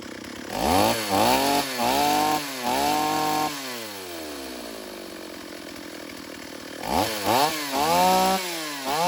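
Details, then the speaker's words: Stihl AV 028 Woodboss chainsaw after new fuel line and filter fixed lean bogging, quick wood cuts without air filter: revs up cleanly in short bursts, drops to steady idle, revs again without bogging; normal running under cut. "All right, well, that's good news. We've got the saw running right."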